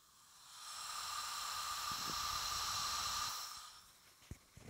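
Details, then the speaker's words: Bench leak-down test at 80 psi on rebuilt Porsche 912 cylinder head (new intake valves, reground exhaust valves, new guides, valve seat job): soft steady hiss from a tiny intake valve leak, dry metal-to-metal; gauge shows zero leak-down, normal. "Even though I can hear some leaks, yeah, I hear a little tiny leak coming from the intake port, which is to be expected. I mean, it's just metal to metal contact dry."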